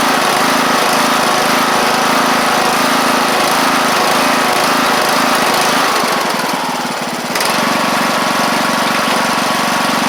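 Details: John Deere LA100 riding mower with 5-speed transaxle, long-sat, hard starting from valve issues, on the test run with the deck engaged: the engine holds a steady, even drone under blade load, dips briefly and recovers cleanly, with no misses or knocks.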